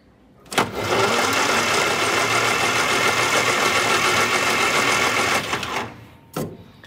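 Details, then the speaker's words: 1962 Austin Healey Sprite Mark II sat a very long time, cylinders oiled, cranked via starter solenoid: even quick cranking about three and a half beats a second, no drag; turns over freely, normal cranking. "turns over quite nicely so i think if we have spark this engine will definitely run"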